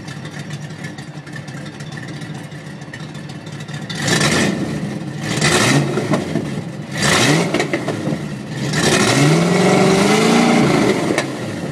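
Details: 1992 Ford Mustang LX 5.0 V8 idling and blipped several times, raspy popping edge from an exhaust leak at the headers.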